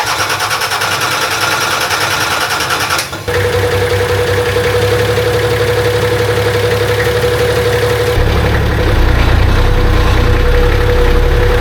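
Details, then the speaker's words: Nissan Patrol with replacement naturally aspirated TD42 silver top diesel, first start after long sitting: rough idle with dull repeating thump over faint whine; owner suspects dry water pump. "there is a bit of like a I wouldn't call it Knocking but it's kind of like a thumping sound coming from the motor I don't really know what it is but I think it could be the water pump"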